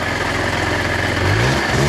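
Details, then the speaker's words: KSR Moto with Austrian AM6 50cc two-stroke, warming up: idles and blips with a rough, rattly mechanical clatter under the exhaust; the mechanic suspects the bearings need work, unconfirmed. "ale powiem naprawdę hałasuję ten silniczek Nie podoba mi się sam będą łożyska do roboty"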